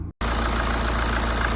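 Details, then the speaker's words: BMW 1 Series 118d diesel after replacing noisy water pump with a used one, plus belts and pulleys: steady even idle with smooth low rumble, no ticking, whine or rattle; noise gone. "End up changing the water pump over to another one I had in my shed. So it's not a new one. As you can see, the noise is gone."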